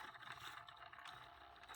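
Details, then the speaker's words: Hornby model railway locomotive in reverse: uneven scraping rattle with no steady hum, crawling and jittering rather than running smoothly; rough jerky running, likely dry and needing lubrication. "it is humming quite a lot if you can hear that right here we go that's at full power now the motor is up here at the front that body's wobbling quite a bit"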